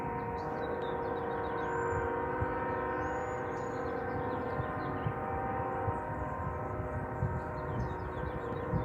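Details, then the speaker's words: Union Pacific locomotive air horn stuck on for about five hours, heard in the distance near home: steady unbroken multi-note horn droning, birds chirping over it; horn stuck on. "Somebody's horn stuck on. Oh no, stuck horn. Oh my god, way to go, UP!"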